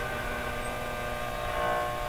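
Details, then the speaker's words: RCA Victor 911KG radio, being revived with minimal restoration: a steady low buzz with hiss, unchanging and loud from the speaker; likely mains hum, and grounding the set was tried. "The noise may go away if I ground it."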